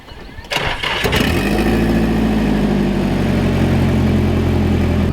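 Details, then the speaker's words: Turbo car with internal wastegate and screamer pipe, started on a hot day: brief crank, then it catches within a second and settles into a steady, even idle. Starts and runs fine. "All right, so I totally forgot that you guys haven't even heard it start yet, so we're gonna start it up and pull it in the garage so we can get it on jack stands."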